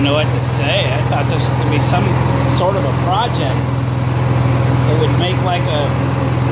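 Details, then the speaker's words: Honda EXW171S welder generator, sat in a barn over 5 years, run outdoors. Steady, even low hum without stumbles or knocks over outdoor chirping; it runs fine, just needs cleaning up and an air filter check. "well getting what I thought was going to turn into an interesting video on this Honda II xw1 71s welder generator is turned into it runs fine and you see needs a little cleaning up"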